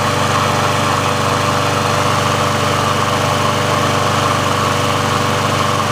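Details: Briggs & Stratton engine on a Sears Craftsman mower after service/repair, warmed up and run about three minutes: steady, even single-cylinder drone with no misses or knocks. The auto choke opens properly when warm, so running is normal and the mower is ready for pickup.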